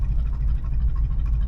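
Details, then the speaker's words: 1986 Chevrolet Suburban Silverado, 305 5.0L V8, 700R4 automatic, after a 51-minute drive: low uneven pulsing idle with shaking, barely idling; owner guesses a vacuum leak; rough idle. "barely yeah it doesn't sound good it hurts shaking let's get out and see what it's doing here how was that for a sound huh"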